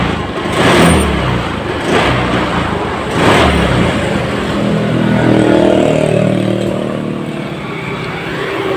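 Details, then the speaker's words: Honda Scoopy FI scooter with no MIL warning: engine surges in three uneven throttle bursts that bog and go empty instead of pulling, a severe stutter and power loss; fuel pump pressure being checked. "Ini motor ini kasusnya brebet brebet nya parah ya"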